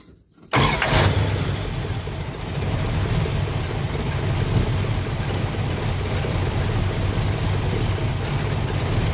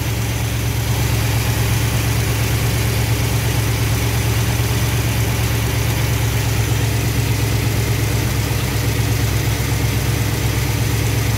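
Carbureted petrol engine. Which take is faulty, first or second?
first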